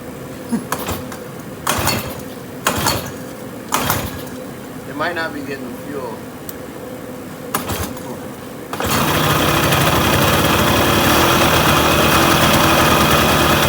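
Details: 1980 Yamaha YT125 three-wheeler lower end with a DT175 cylinder on a ~5 mm spacer, reed cage, intake and YT125 exhaust, first test run: several sharp recoil pulls, then it catches and settles into steady buzzing two-stroke run; starts and runs.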